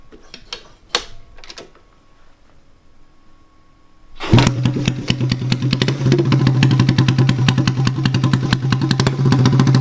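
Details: Honda ATC70-based OEM-style restoration, single cylinder with titanium exhaust, engine leaking a little oil internally: a few quiet clicks, fires at about four seconds, settles into steady, even, rapid thump with no knocks; normal running.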